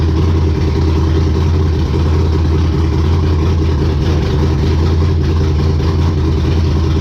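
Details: Race car Intimidator, V8 with open headers, after fixing stalling problem: deep, even burble holding steady low beat, no misses or knocks; normal idle.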